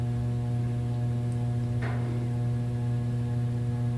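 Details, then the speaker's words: 44-inch Hunter Stratford II ceiling fan, circa 2008, on medium: a steady 60-cycle electrical hum and buzz that the owner attributes to a capacitor needing replacement. "I know you can hear it buzz and Hunter has been being quiet but this one is an exception probably cause it's like the post-2000 hunter and obviously the capacitor needs replaced so I shall do that when I get time that's why you hear the 60 cycle hum that's emitting"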